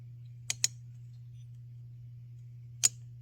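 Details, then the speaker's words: MAC 3200 two-stroke chainsaw, found roadside, muffler off, engine turned by hand: sharp light clicks; normal anti-rollback mechanism that stops reverse turning and springs in at top dead center. "oh it's anti-rollback I can't spin it back the opposite direction"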